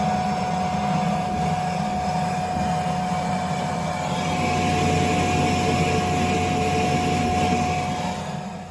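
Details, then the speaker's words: Blower on a no-heat call with a Burnham Alpine boiler (invalid modulation parameter, lockout 21): steady roaring rush with a fixed whine holding pitch; blower problem suspected. "Sounds like you got a blower issue here."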